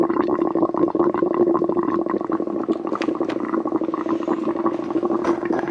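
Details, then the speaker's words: Twin-turbo Subaru Forester with the coolant filler open: irregular bubbling and gurgling over a steady hum as trapped air works through the coolant; owner suspects low coolant let air into the system and it may need a new cap. Not overheating. "I think it didn't have enough coolant. Just trying to suck it back through. It's been sucking air into the system."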